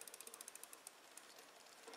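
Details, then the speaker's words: Shimano XT rear derailleur after adjustment, cranks turned by hand with no load, shifting into gear four: light, fast, evenly spaced ticking with no grinding or chain skipping; drivetrain runs quietly, though riding under load may differ. "smoo in the gear four you don't even hear it now on with the load it may be a little different"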